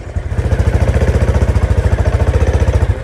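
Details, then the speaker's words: Honda Supra X 125 with manual clutch conversion, welded clutch carrier, Daytona lining and stock springs: quick regular tek-tek ticking over the small engine when the throttle is snapped; owner suspects the welded carrier, not the lining. "Tapi yang jelas ada suara tek tek tek gitu ketika gas disentak."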